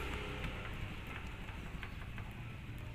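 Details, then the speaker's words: L300 van sliding door after adding new parts to stop its loud noise: low steady rumble with only faint soft taps; the door still shakes but no longer rattles. "yan umaalog siya pero wala ng ingay kasi Natural lang naman y umaalog eh pero wala ng ingay"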